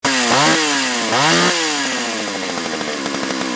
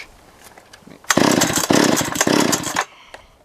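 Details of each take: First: Chainsaw blips twice, then holds high revs with a wavering, burbling pitch before shutting off; it won't idle or tune, runs okay on the high jet but bogs and stumbles coming off high rpm; carburetor suspected. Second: Chainsaw that would not idle, spark plug looks good, during compression test: quick burst of strong even chugs as cord is pulled, reading about 150; normal compression on cranking, fuel/carburetor suspected next.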